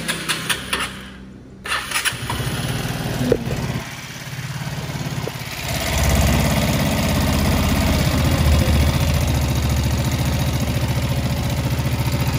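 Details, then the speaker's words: Used Vespa Sprint 3V automatic scooter starting and settling to a steady, slightly coarse, vibrating idle; rough CVT and engine sound and vibration are normal for the 3V engine, not a fault. "kalau triv getar agak bunyi kasar ya itu normalnya Vespa bukan karena memang dia rusak atau gimana memang bawaan dari lahirnya udah kayak gitu"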